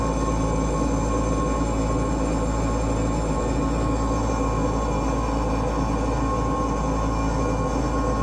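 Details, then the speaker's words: 36-year-old Lennox G14 pulse gas furnace that would not heat, trying to start: the purge fan runs with a rough drone and steady whine; the bearing is suspected to be failing, not confirmed. "There's a purge fan inside of here. And I think it's the bearing is going out on it cuz that doesn't sound good."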